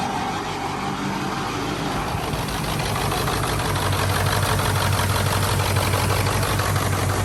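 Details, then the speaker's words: 1996 Ford F250 7.3 Powerstroke diesel, stick shift, two-wheel drive, with a crank-but-no-start fuel pump problem; the owner says it runs on six or seven cylinders. It catches and settles into a steady, slightly lumpy clatter; the misfire cause is unconfirmed. "but this truck kind of like runs on like seven cylinders so six or seven so it will turn over"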